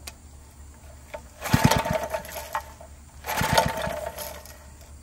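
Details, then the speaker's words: Barn-fresh 1951 Briggs & Stratton 6B-SF, 1.75 hp, 3600 rpm, first start on fresh fuel with choke: two short ragged bursts of firing about two seconds apart, then dies; fuel issue, owner suspects the tank pickup tube. "okay well it's definitely a runner but we've obviously got a fuel issue i don't know if that pickup tube is not working or what"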